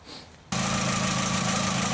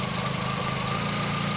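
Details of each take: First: 2004 VW Jetta 2.0 litre with P0303 code, spark tester on cylinder 3 plug wire: choppy idle with irregular beat; no spark at cylinder 3, plug wire, coil or computer control all possible; cylinder misfire from failed ignition coil. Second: 2004 VW Jetta 2.0 with a cylinder 3 misfire (P0303), after a known-good coil was swapped onto cylinder 3: a steady, even idle hum with a faint high whine and no stumble; normal idle with no misfires on the scan tool.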